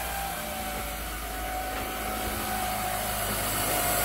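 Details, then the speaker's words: Mitsubishi 2.4 four-cylinder just after timing belt, water pump and valve cover gasket replacement, run briefly without accessory belts or coolant: smooth even idle, steady hum, no ticking or belt singing; timing belt tension correct, normal idle. "so this sounds nice the time belt is nice and quiet if you had the timing belt too tight it would actually start singing make some noise"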